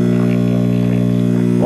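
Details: Circa 1965–66 GE C1530 tube AM/FM clock radio at first power-up: a loud, steady low hum with buzzy overtones drowns out faint station audio; mains hum from a bad filter capacitor.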